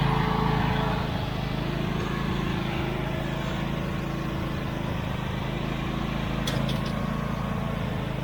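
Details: Husqvarna YTH24V48 riding mower, small twin, after a no-start repair with a fuel pump line temporarily fitted, started on choke: steady, even low putter at constant speed with no misses or knocks; runs normally.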